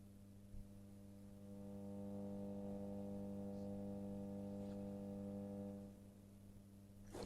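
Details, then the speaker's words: Columbia vacuum-tube guitar amplifier with 6V6 output tubes, after cathode resistor change to 220 ohm: steady low buzzing hum with stacked overtones swelling as reverb is turned up; abnormal mains hum, reduced with mid control up, 6V6 red-plating seen. "Well, that increases our hum and obviously speed and intensity. Okay, so we've definitely got an issue there. This is not normal operational noise for an amplifier of this type."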